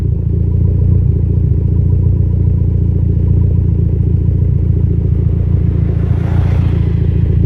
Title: Less idle misfire